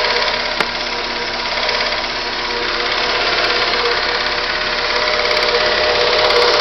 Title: Stukanie silnika